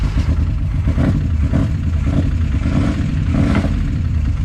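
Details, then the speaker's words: 1981 Chevy truck V8 first start after sitting about 29 years: rough, lumpy idle with light clatter ticking under exhaust pulses; lifter suspected off or sunk, valvetrain loose; carburetor leak and vacuum-line holes also noted. "that sounds she's just loose that's all it is"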